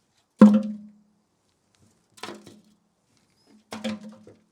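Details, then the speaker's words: 1993 Triumph Trident 900 fuel tank, empty after the bike sat five years, rocked by hand: three separate clunks with a short metallic roll; something loose and unattached is rattling inside the tank. "Something in there that's not attached to something."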